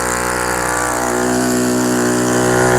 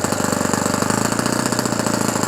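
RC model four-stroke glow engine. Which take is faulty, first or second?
second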